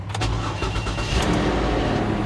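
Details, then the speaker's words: 2004 BMW 325Ci at Copart with 159,000 miles and an ABS light on, started off a jump pack: quick crank, instant catch, then a steady, even idle with no misses or knocks; normal start and idle. "And it starts right up."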